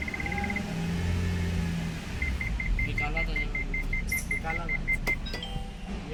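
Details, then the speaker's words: MG Hector petrol automatic, 2020–2021: quick run of high beeps, a pause, then a steady beep train over cabin rumble. First and second engage, reverse won't. Open circuit in the TCM wiring. "तो ये हमारा reverse gear नहीं आ रहा है। बाकी first second gear आ गया है लेकिन रिवर्स नहीं आ रहा है।"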